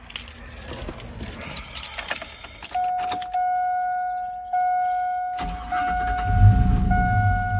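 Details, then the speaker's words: 2000 Chevy Silverado that had cranked but wouldn't start, just after fuel filter replacement: keys rattle and a door chime, then a short crank and the engine fires at once and runs steadily; fuel reaching the engine, healthy start. "you go right away it did crank a little bit but instantly it fired right up so the fuel went straight through those lines"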